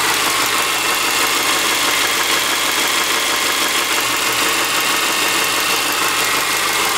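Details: 2003 Subaru Forester, naturally aspirated, manual, 140,000 km, garage at -10°C, after 10 minutes of warm-up: even idle with a faint, loosely regular knock of about three beats a second; owner suspects piston slap, unconfirmed.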